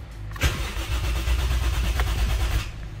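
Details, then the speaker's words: Toyota 1JZ after electronic throttle deletion, idle adjust screw wound in, in neutral: starter churns about two seconds with weak coughs that never catch; cranks but won't start, owner suspects it needs more throttle. "Doesn't want to start. Probably needs a bit more throttle. It like started to cough and splutter."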